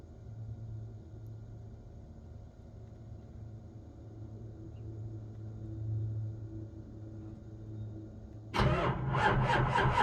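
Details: 2001 Ford 7.3 diesel, 150k miles, cold start: low hum, then starter grinds over in uneven surges but the engine never catches; cold crank, no start.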